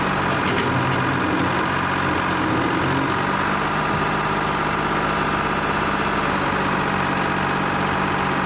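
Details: Lima 34 shovel, just fired up after a round of repairs, before greasing and digging: heavy diesel ticking over at a steady, even idle with a deep rumble and no knocks or misses; normal, healthy idle.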